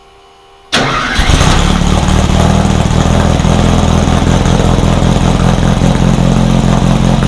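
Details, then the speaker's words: Rebuilt VW 1600 flat-four in a Baja Bug, first start after a two-year teardown, after retarding over-advanced timing: catches after a brief crank, settles into a steady, slightly lumpy low idle; ran pretty good. "It did fire up. It ran pretty good."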